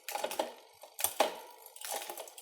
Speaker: no noise on the cogs so we know we've got a well adjusted re